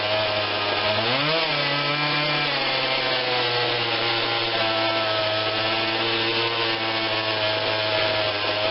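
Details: Husqvarna 142 40cc chainsaw, start on choke only (no primer bulb), before carb tweak: fast buzzing idle sags and catches once early, then settles steady; slight idle stumble, carb adjustment planned.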